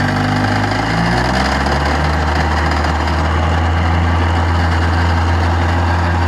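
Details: Restored 1956 Johnson 7.5 HP outboard on a 14-foot boat during lake test run: steady two-stroke buzz settling to an even held pitch on throttle, no missing or surging; normal running.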